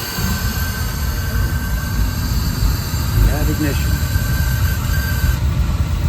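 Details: Oil burner that quit after an oil delivery, after replacing the filter and nozzle and bleeding the line: a steady low roar with an even flame rumble and no sputter or pulsing, firing normally; a few air bubbles were possible at first.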